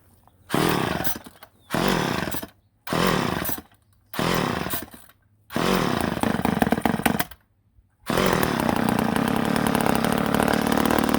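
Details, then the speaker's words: Ohlsson & Rice chainsaw sat 20+ years, primed with a splash of gas into the carburetor: fires in short one-second bursts that fade and stop, then briefly runs; owner suspects a plugged fuel line, fuel starvation. "oh yeah we might have ticked that carburetor far to get her going but like I said that line might be plugged up you know we don't know we could prime it a couple more times though see if it catches on"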